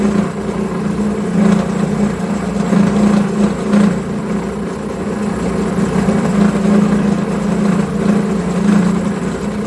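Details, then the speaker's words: Homemade milling machine, spindle at 1900 rpm, after reducing table play: wavering buzzy tone near 200 cycles rising and falling through the cut; cutter chattering from remaining play in table slides. "it surely cuts much better but there's still too much play in the entire setup you can hear it shatter a lot but all the problems can be fixed"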